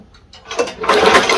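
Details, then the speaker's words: MTD snowblower engine, spark tester on top of motor while pulling starter cord: fast light tick-tick under the cord rattle; spark tester firing, ignition spark present. "I can hear it I don't know if you guys can see it I can sure hear it I can hear it going tick tick tick tick tick so have spark"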